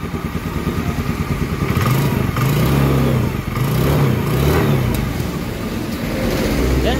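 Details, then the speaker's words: Carbureted Honda Scoopy that had a rough, robot-like engine noise, after the engine was split open and repaired: engine revs up and down evenly with a steady exhaust note, smooth and healthy again. "untuk suara mesinnya halus kembali ya beda dengan pada saat tadi awal kita videokan ya"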